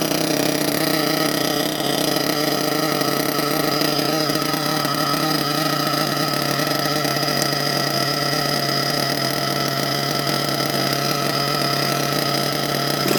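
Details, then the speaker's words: HPI Savage XL nitro monster truck with Twinzilla twin-engine kit, both motors brand new: high, steady buzz holding one even pitch with no wavering or beating, synced after linkage setup; low speed needles not yet adjusted. "Well guys, as you can hear, that's how it sounds when two motors is in sync."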